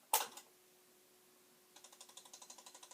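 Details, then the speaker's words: Commodore 1520 printer plotter, second unit, no pens fitted, just powered on: a sharp snap, then fast even clicking about seven per second from the tiny-geared mechanism trying to initialize; cause unknown. "it's trying to do something. I don't know if you can hear that, and I hesitate to diddle around too much."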